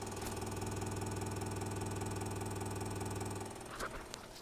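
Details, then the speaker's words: Sony MDS-JE320 MiniDisc deck, bought listed as possibly having drive issues, on power-up: a coarse buzz pulsing about four times a second, then clicks, indicating a drive mechanism problem. "we can hear that it very much has Drive issues but these Sony models are notorious for Drive problems"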